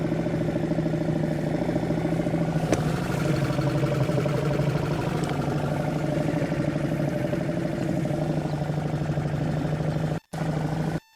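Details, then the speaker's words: Suzuki 2.5 outboard on a boat after its carburettor was cleaned ultrasonically to fix idle problems, manoeuvring in forward and reverse; owner feels the idle could be set even lower: a low, steady, evenly firing putter, a normal smooth idle. "I could do with perhaps lowering the idle even more you know that's something that could do"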